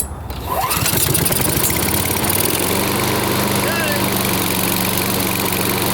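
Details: Older Honda Harmony mower after full tune-up (carb, valve lash, ignition, oil), full throttle, fuel on: pull-start catches quickly, settles into firm steady drone, no hunting; measured 1910–1920 rpm, judged perfect, normal running.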